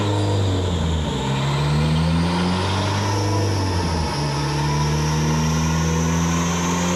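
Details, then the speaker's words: Hyundai Elantra on E85 with 1200cc injectors, fourth-gear dyno pull with reduced roller load: engine drone climbs then revs flare faster than speed allows; worn hand-me-down clutch slipping, not holding its 405 lb-ft rating. "yep the clutch went the clutch in this car is the one that I put in the GSX before I blew it up so it's a hand me down already anyway but it appears as though we've used it all the way up because it's not holding anywhere near its 405 foot-pound rating"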